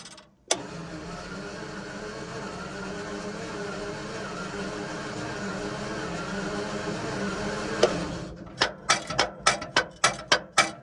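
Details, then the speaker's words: Centurion ARV after resetting magneto ignition timing, fuel pumps primed: starter drones about seven seconds without catching; low coolant below the coolant switch disables the magnetos, so no spark; fix is topping up with water. "So that thing over there is the coolant switch, and the coolant's below it, so that'll be telling the magnetos not to start."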